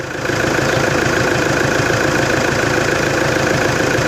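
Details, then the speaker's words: Toyota Hilux D4D diesel at idle after alternator refitted with belt now clear of the pulley's inner grooves: steady even diesel clatter, alternator belt squeal gone, running smooth and healthy. "Ô glória! Acabou a gritaeira da correia. Glória a Deus."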